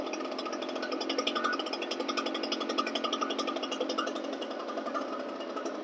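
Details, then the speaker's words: Echo PB-770T two-stroke backpack blower after starting off choke: crisp, even two-stroke buzz with a fast steady pulse and no stumbling or surging; running clean and healthy. "now pull it off choke and then crank it until it's running so these pb770s tees they run so good"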